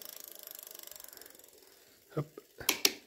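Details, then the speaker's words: Lankeleisi X3000 Max fatbike, dual 1000 W hub motors, after rear brake adjustment removed rubbing noise: fast even freewheel ticking fades, then crisp clicks as chain shifts into first gear; derailleur well adjusted, shifting clean. "je passe la seconde impeccable 3è impable 4e impeccable 5è impeccable 6e on est toujours bon et la 7è et ben il est bien réglé impeccable"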